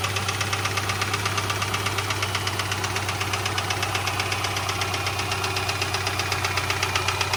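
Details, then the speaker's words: 2010 Subaru Forester, 2.5 L EJ25 boxer engine just started cold and idling: a steady, rapid light knocking, the normal piston slap of these engines, not a rod knock. "now you hear it obviously you know it may sound uh like an engine knock or if this was another car it would sound you know uh kind of bad but Subarus This Is How They are This Is How They sound"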